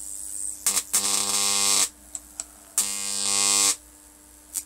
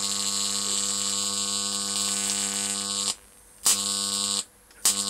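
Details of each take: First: Homemade high-voltage transformer with rewound secondary coil, around 20 volts input: two harsh, hissy buzzing bursts at steady mains pitch with sharp crackles between, corona discharge leaking off the high-voltage winding, heard through the handle. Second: Homemade high-voltage transformer with new, better-insulated secondary coil: harsh steady arc buzz across a 2-inch gap, cutting out twice and restriking.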